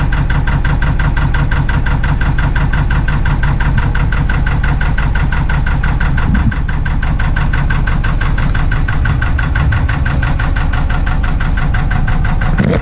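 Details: Narrowboat diesel unstarted for about three or four months catches quickly and settles into a steady, even chug with a deep regular beat and no knocks or misses: normal start and idle.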